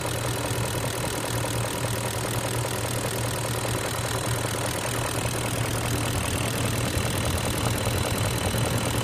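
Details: 2002 BMW X5 E53 4.4i M62TU V8 warm idle with fast, uneven knocking, started about 6,000 miles ago after switching to Mobil 1 5W-30; returning to 20W-50 didn't help; owner wonders about chain/guides, VANOS or vacuum.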